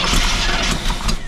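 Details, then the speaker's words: Motorhome engine with HEI ignition after sitting over 10 years, fuel gauge reading empty, cranked on starting fluid: starter churns with uneven attempts to catch but won't run; ignition good, likely fuel starvation. "oh she wants to all she wants to guys that's a good sign give her a couple more let's see we got well guys at least we know that it turns over now and it wants to fire we know that the ignition system is good"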